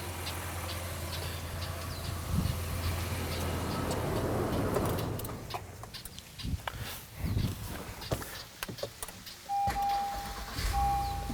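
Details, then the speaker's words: Honda Passport V6, started by the ULIXWH jump starter with the battery cable fully disconnected; engine catches quickly, settles into a smooth even idle, then is shut off. Normal start and idle. "what we're going to do is try to start the car with no [Music] battery and you can hear that the car started now let me shut the car off"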